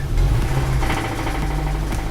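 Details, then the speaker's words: 2007 Kia Optima first started after sitting almost a year, rough idle with a faint uneven tapping underneath; engine knock the owner believes is rod bearings. "alright so now you guys can probably hear a little the engine knock"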